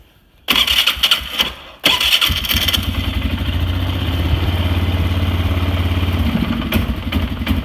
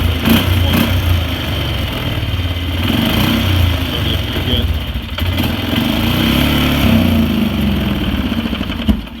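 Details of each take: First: Polaris Sportsman 500 ATV after repair: it had backfired through the exhaust at idle and wouldn't throttle up because a bent throttle/ETC micro switch holder let the switch lose contact. Now a quick crank catches cleanly into a steady, even idle with no pops. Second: Polaris Sportsman 500 ATV with uneven, lumpy single-cylinder idle that runs on, then cuts out abruptly; it had backfired through the exhaust at idle and wouldn't throttle up. The ETC throttle micro switch came loose because its holding piece was bent open, killing the engine.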